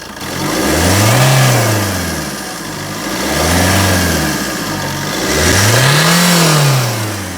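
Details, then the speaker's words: Fiat Doblo Cargo diesel van revved during a cold-day pre-MOT check. Owner said it sounds different on the road, but three clean rev blips rise and fall smoothly with no knocks or rattles: normal diesel revving. "Making me sound like a liar now. It sounds all right."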